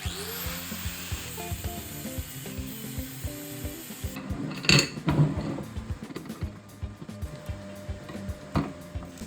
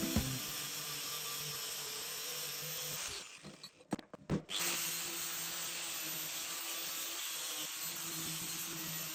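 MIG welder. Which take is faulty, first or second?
first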